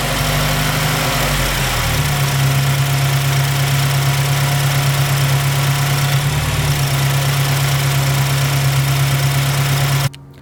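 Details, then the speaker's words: 2007 Mazdaspeed3 with a new 2.5 engine, about 30 miles in, idling with a steady low hum and a faint, even, consistent extra noise; the cause is unclear, the owner doubts a vacuum leak and thinks it comes from the back, possibly the turbo. "so the sound persist I'm not sure where else to go here except for maybe the accessories but it does not sound like it's on that side uh it sounds towards the back which would sound like turbo"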